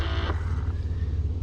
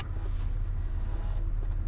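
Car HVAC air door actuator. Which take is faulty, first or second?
second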